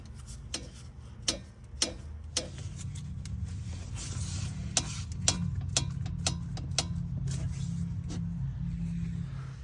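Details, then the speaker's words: 2019 Porsche 911 GT3 RS, customer complaint of suspension noise, wheel rotated by hand: sharp uneven clicks about twice a second, popping from play in a worn suspension link. "This one's a little bit less play, but you can hear that little popping sound."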